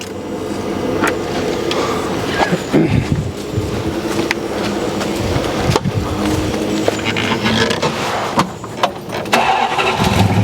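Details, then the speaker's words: 1969 Dodge Coronet V8 after distributor adjustment: lumpy, uneven idle with irregular beat and random hiccups, sounds like running on seven cylinders; ignition timing suspected still way out, possible misfire not confirmed. "But I think we're still way out of whack here. Sounds like it's running on seven cylinders."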